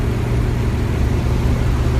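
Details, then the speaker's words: 1968 Ford Mustang coupe, 200 ci inline six, 243K miles, never rebuilt, accelerating under light throttle through 40 to 60 mph: steady, even low rumble pulling smoothly with no knocks or ticks. The engine runs healthy. "okay very very imprecise acceleration there but I get it grace because how old she is and how many miles are on this little thing"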